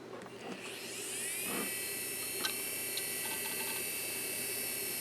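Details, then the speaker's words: Seagate U5 Series 10GB IDE drive from eBay, labelled okay, first power-on: a whine climbs smoothly over about a second and settles into a steady tone, with a few light seek-test ticks; quick spin-up, the drive is healthy. "Okay. Spun up pretty quick. Did a seek test."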